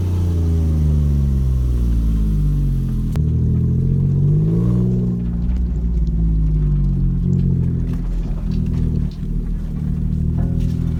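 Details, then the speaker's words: Smart Car with finished custom lightweight exhaust, oxygen sensors refitted, on first drive: deep, even throaty rumble through a gear change, no ticks or rattles, sounding better than stock. "i think that sounds a lot better than stock"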